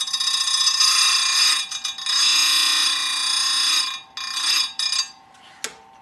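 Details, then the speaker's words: Old SDM4 square grinder sharpening full chisel saw chain, set to about 5° side plate forward and 15° top plate angles. High-pitched whine in short, even passes tooth after tooth with a very light touch. Normal grinding. "So that's what I mean by, that's kind of my grinding speed. The only thing I would comment on is it's a very light touch, really round file on the saw, right?"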